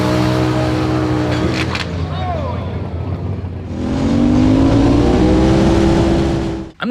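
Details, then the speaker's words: Turbo Predator 670cc V-twin dragster at about 8 psi boost on nitro-methanol blend: climbs to a hard high-rev scream around 8,500 rpm, then a sharp bang and clatter as the CVT drive clutch explodes, damaging oil line, carburetor bowl, air filter. "blew up the torque converter and uh yeah the torque converter exploded the torque burner exploded"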